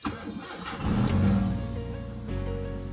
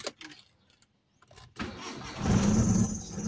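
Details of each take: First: Mitsubishi Lancer Cedia automatic that stalled after starting, restarted after cleaning a very dirty throttle body: quick crank, clean catch and brief flare, then a steady idle holding at 900 rpm; normal start and idle. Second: Mitsubishi Lancer Cedia automatic, no check-engine light: the starter cranks, it catches, RPM rises and falls, then it sags and dies within seconds. Stalls after starting; the scan showed sensor code 32 and a very dirty throttle body was cleaned.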